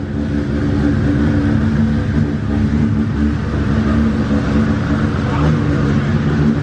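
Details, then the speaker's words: Brand-new 3.4L 2JZ at idle after first start, oil pressure confirmed: a steady, even, smooth low hum with no misses or ticks; it is running healthy, though oil is seen leaking at the front main seal. "a lot smoother huh [Music] kind of good news kind of bad news car started great sounds great head super smooth even the way that idle sounds a lot smoother"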